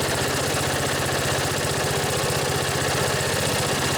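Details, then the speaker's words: Briggs & Stratton engine on a vintage riding mower tractor, started after charging the battery: steady, even low putter idle with no misses or knocks; healthy, though upper-end rpm could use adjustment. "Briggs just purrs like a kitten. Could use a little work on the upper end RPMs, an adjustment."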